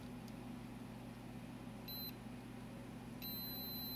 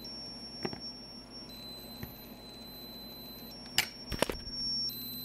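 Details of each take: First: HP OmniBook 420/425 laptop board, logic probe on the CPU read/write line: a steady high tone that never pulses. No CPU bus activity, although the CPU gets warm and the 3.3 V and 5 V rails are present. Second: HP Omnibook board, logic probe on CPU pin 8 (reset line): a thin high tone jumps in pitch each time reset is pressed. The reset line toggles normally on this board.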